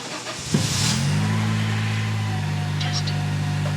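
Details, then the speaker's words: 2004 Acura RSX K20 after camshaft replacement for excessive cam wear, first start with cams drained and refilling with oil; brief crank, catches cleanly, settles to steady even idle with no ticking or knocking: normal start and idle. "sounds good all right another one done thanks for watching"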